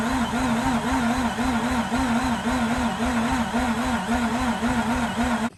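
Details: 2004 Mazda RX8 manual, unstarted for two years, cranked repeatedly with fresh fluid drops found beneath: an even starter whir with a wavering cranking rhythm near two beats a second, and the engine never catches. Cranking no-start.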